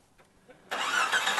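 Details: 1993 Jeep Cherokee 4.0 after fuel pump repair for fuel bleeding back and long cranking: engine catches almost immediately and settles into steady idle; fuel pressure 36–37 psi versus 31 required.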